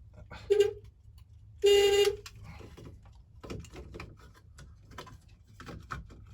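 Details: 1988 Volkswagen Type 3 Transporter Synchro horn, previously dead, sounding properly again after work around the steering-wheel slip ring, exact fix unknown: two clear horn blasts, a short toot then a longer steady mid-pitch honk.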